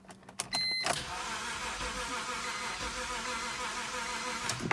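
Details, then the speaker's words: 2010 BMW X3 after sitting three to four days, brake pedal stiff: laboured dragging starter whir for about four seconds that never catches; jump start didn't help, replacing the battery fixed it. "she's crying just not just not making it over the hump there when it's starting"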